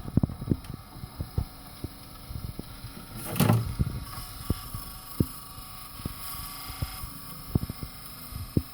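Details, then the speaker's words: 2002 Ice Age VHS tape playing in a VCR gives irregular light clicks and ticks with a short scraping burst over a quiet hum; abnormal tape mechanism noise during playback. "today i got some weird sound to check when i put in a vcr and it makes a weird noises"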